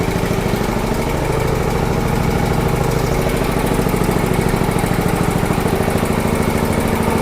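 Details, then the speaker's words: Golf cart with Wisconsin engine and Holten axle and transmission final drive, started by push button: steady, even chuffing idle at about three beats a second with no misses or knocks; normal idle. "Like I said, I don't know if you can hear me, but uh and runs really, really well."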